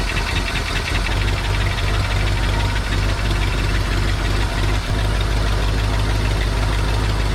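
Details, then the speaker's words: 1955 Buick Super old engine, running on its own after cranking right up (owner considered a gravity-fed fuel setup). A deep, steady, even rumble with no knocks or misses; normal idle, with slight smoke from the rear. "It cranked right up. And she sounds pretty good."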